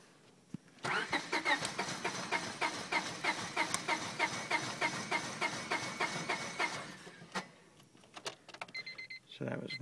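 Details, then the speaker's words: 1999 Honda Civic after a cold night, fuel pump heard engaging, then the starter cranks evenly at about three beats a second for six seconds without firing. Owner says fuel pump, filter and battery are not the cause, it starts fine warm and hesitates on acceleration. "okay this is my car 99 honda civic and this is the sound it makes when i try and start it"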